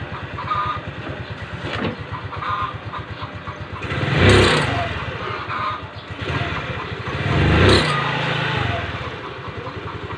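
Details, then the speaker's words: Rusi Gala scooter, stock belt about two years old and hardened by CVT heat: idle then three throttle blips bring a rough scraping rush from the CVT; worn V-belt, fixed by replacement. "so napakinggan niyo na mga sir B merong kumikiskis Kapag umarangkada tayo"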